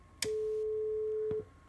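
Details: Line 6 LD150 bass amplifier with no output, sine wave input, measured at speaker output: clean steady mid tone holds just over a second after power-on then cuts off dead; mute circuit shutting output down, audio output board ruled out.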